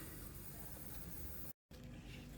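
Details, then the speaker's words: Emergency pipe repair at a care home. Constant rushing hiss as water pours from a leaking pipe, suspected at the back of a tee under the floor; exact leak point not yet confirmed. Water leak. "i don't know if you can see it but it's pouring out down there that ain't good"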